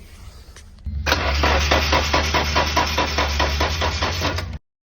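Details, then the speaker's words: Nissan 240SX being cranked with the fuel pump unplugged, ECU powered; even starter cranking at about two to three compression pulses a second for about four seconds, never firing, as expected. "Fuel pump's unplugged, so we shouldn't hear that."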